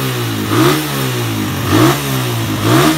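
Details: Suzuki Satria F150 that idled but wouldn't rev, after adding ground wire from engine to black-white cable: engine revs up and drops back cleanly about once a second, pitch climbing freely; faulty ground was the cause, possibly corroded.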